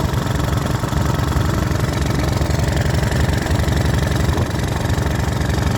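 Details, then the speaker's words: Small single-cylinder pressure washer engine restarted cold on good fuel after ATF stalled it, during deliberate abuse: rough chugging with an uneven knock about four per second; owner suspects a rod knock, unconfirmed. "It sounds like it has a rod knob."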